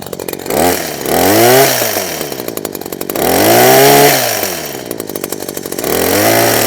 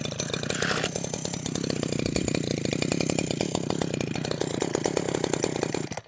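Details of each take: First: Husqvarna 123HD60 two-stroke hedge trimmer after new carburetor diaphragm and carb clean, started on half choke: revs up and falls back in even surges every two to three seconds, keeps running without stalling; now running properly. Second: Husqvarna 123HD60 hedge trimmer two-stroke, not run for a while, new fuel lines, starting on full then half choke: rough, uneven buzz surges several seconds then stalls abruptly; suspected carburettor diaphragm fault causing rough running and stalling.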